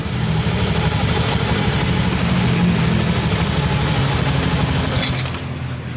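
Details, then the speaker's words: Honda Beat FI scooter after CVT repair: steady low drone with the earlier metallic jingle gone; the jingle came from an overly loose plate in the CVT, now fixed; normal CVT running. "Jadi ini ya, suara yang tadi kerincing-kerincing tadi ya, kayak platnya kendor tadi, ini sudah hilang ya, sudah nggak ada suara yang kerincing-kerincing tadi."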